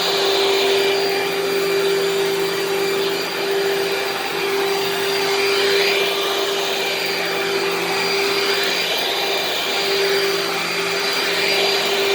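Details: Dirt Devil upright vacuum with swivel casters running; steady loud motor whine with high fan hiss, smooth and even, loud but not too loud for a Dirt Devil, running normally.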